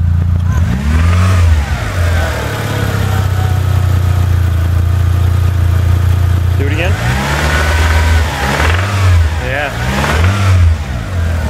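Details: 1997 Eclipse GSX, engine known to have a bad rod in the bottom end: idling petrol engine blipped several times with a rattle as revs rise and fall; rod knock suspected.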